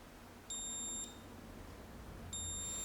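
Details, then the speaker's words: Multimeter on diode setting tracing continuity on a Battlezone (Atari) arcade PCB before fitting an IC socket: two clean high-pitched beeps about half a second each in a quiet room; continuity confirmed, connection good. "So I'm taking my multimeter and I have it set on diode, and I'm going to actually be tracing, making sure that I hear the beep. I want to make sure that we've got continuity between these guys."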